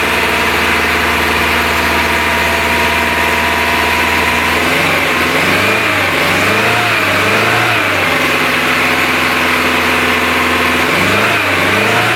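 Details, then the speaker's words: Renault Trafic, rebuilt junkyard C1J S 7000 engine unrun about 15 years, cold day, original cracked distributor cap: uneven, lumpy idle that stumbles when blipped. "en gros le 3 et le 4 je les ai inversés et en plus il tournait du coup sur 1 2 et c'est tout mais tourner déjà très bien"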